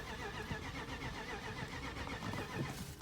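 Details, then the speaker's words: 2006 BMW 750i, unused for three months, with a new battery and a good fuel pump fuse: starter churns steadily with even compression pulses, but the engine never catches or fires. Crank, no start; cause unknown. "This car is cranking but not start. As I will show you."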